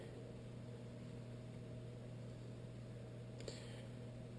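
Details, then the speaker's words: Whitfield pellet stove auger gearmotor, 1 RPM gearbox, running with the stove electronics disconnected: quiet, steady low hum with a faint constant whir, no clicks or grinding; slow auger turning healthy. "yeah she is slowly rotating this gear boox is set up at 1 RPM yes that's apparently all you need"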